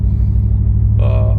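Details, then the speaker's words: Ford Mustang S197 3V V8 after fixing leaking intake manifold gaskets and vacuum lines and replacing the fuel filter, which cured lean codes on banks 1 and 2 and a cylinder 6 misfire: steady, even low V8 idle with no stumble or miss; the rough idle is gone. "No more rough idle. She runs good. The motor sounds a lot better."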